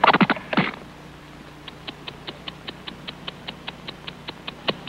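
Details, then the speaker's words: Timex ladies waterproof watch after a dishwasher torture test, heard through a sensitive microphone: after handling knocks, crisp, even ticks at about five per second with no skips; the watch runs fine. "yes as you can hear and as i can hear it is still ticking perfectly the lovely timex ladies waterproof watch can certainly take a licking and keep on ticking"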